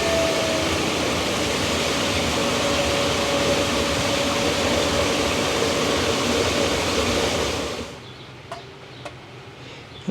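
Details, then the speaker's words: Farmer-built Pelton-wheel hydro turbine with induction-motor generator, correctly sized motor fitted, starting and latching: steady even whir with faint high tone, dropping away at the end; output rises to just over 2.5 kW from 2.1 kW. "let's give us a try we should hear that latch in a second there we go she's latched"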